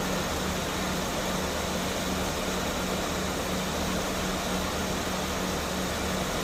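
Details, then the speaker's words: Mercedes-Benz S280 at idle after A/C repair (leaking hose replaced, compressor oil added, new drier), 33–34°C afternoon, vents about 5°C both sides: steady fan hiss over smooth low idle hum, no compressor knock or squeal; normal A/C operation. "อ่าม.คมีเสียงการทำงานปกติทุกอย่างนะครับอ่าม.คโน้ทIamปรับนะครับอ่าและพร้อมทำงานนะครับแอร์เย็นตปทออกปกตินะครับ"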